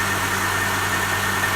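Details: Honda (DC2R) with new battery and immobiliser disabled via ECU, first day running, took a little to start: smooth constant idle drone with even pulse, no misfire or rough shake; normal idle.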